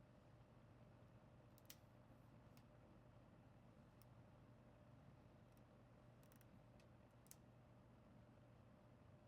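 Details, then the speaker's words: Toastmaster 14-inch mini box fan after cleaning and oiling its bearings with Zoom spout oil: quiet, steady hum with no ticking or rattle. It moves a lot of air and the fan doesn't wobble; normal running. "This moves a lot of air. It's like you can almost hear the air like being monster. This thing's not moving all over the place either. This is not moving at all and it's not rattling."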